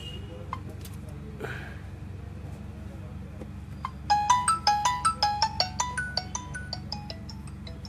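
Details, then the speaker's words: Xiaomi Mi Note 5 ringer fault, after drying it with hot air; ringtone starts loud then its volume sinks fully down while the area gets slightly warm: loudspeaker volume fading. "चालू हो गया देख लेते हैं Puri down हो गई बिल्कुल आवाज़ बिल्कुल डाउन हो गई बढ़कर आपने सुना पड़ती हुई पुरी डाउन हो गई है"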